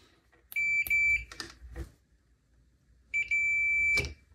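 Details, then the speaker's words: Early rev. green Bogner Überschall amp, serial 86, US 120V model: two solid high-pitched meter beeps showing unbroken continuity; the mains-protecting varistor failed as a dead short when mains was brought up to 180V during the power transformer change. "when i bought the voltage up and it got to 180 on the mains this thing crapped itself and it failed via a short circuit"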